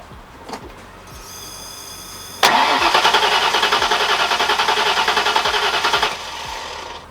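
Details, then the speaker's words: Starter cranks steadily at about three and a half beats a second without catching; it has ignition and starts on starting fluid, but the injectors aren't firing; owner plans to check the wiring harness. "so i know my electronic circuit is working i have ignition if i coat that thing and start a float it starts right up but for whatever reason my injectors do not seem like they want to fire right now"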